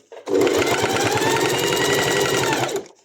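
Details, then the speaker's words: Sewing machine with a horizontal bobbin, after bobbin-area maintenance: fast, even stitching at roughly eight stitches a second with no knock. The bobbin no longer skips and the machine sews without problems. "Ya esa bobina no volvió a saltar, está funcionando perfectamente y por supuesto me está haciendo la costura sin ningún problema."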